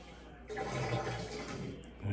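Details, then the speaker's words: Washer that showed LE error code and wouldn't spin, after remounting the drive part on the shaft and forcing a spin: water rushes and gurgles over a steady drain pump hum that picks up, normal drain before spin; LE code cleared. "It's gonna initiate a drain cycle first. And then it should try to start spinning."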